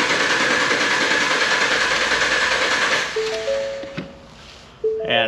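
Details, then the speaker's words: Six-cylinder truck cranking in clear flood mode during relative compression test with a Ditex Carscope tester: even, steady cranking pulses, six even bar graphs; normal cranking with even compression. "it's going to go ahead and run the analysis and you can see it gives us nice six even bar graphs this is a six-cylinder truck"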